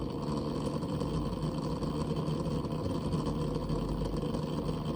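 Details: New Barrow pump and CPU waterblock combo for AM4 running below 50% pump speed: steady gritty low rattle with no clear beat; sounds fine above 50%.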